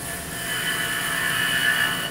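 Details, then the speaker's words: Woodturning lathe cutting a pewter finial toward final diameter: a steady high-pitched buzzing squeal rides over the cutting hiss. This chatter shows the work is not supported enough. "you hear that chatter, that's also a sign that you're not supporting the work quite enough."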